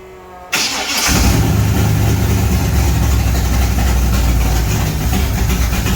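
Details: Chevy Monte Carlo SS G-body V8 first start after rebuild: short crank, catches at once and holds a strong, even lumpy idle with no misses. Normal start and idle.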